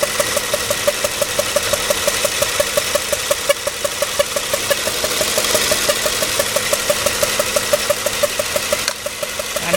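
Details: 2005 Toyota Sequoia SR5 4.7 L V8, about 162,000 miles, no stored or pending codes: sharp regular pops about three per second from one side of the engine over a steady idle. The cause is not yet identified.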